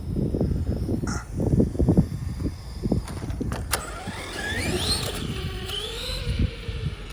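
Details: MT10 Rival RC truck, possibly after hitting the trailer hard: motor whine rises and falls with uneven crunchy clicks and grinding bursts under load; diff grinding.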